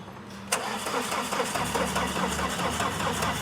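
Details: Tata Winger diesel after timing belt replacement and fuel bleeding, cranking: starter grinds over steadily about two turns a second and the engine never fires; no glow plug heat because the heater fuse is blown.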